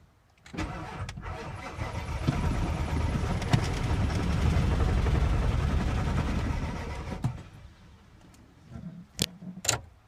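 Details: 1997 Ford 7.3 diesel cranks steadily for about seven seconds with no start and no smoke. CPS, all 8 glow plugs, both UVCHs and pigtails, fuel filter and batteries have been replaced. A shop suspects the IDM is fried. Cause unconfirmed.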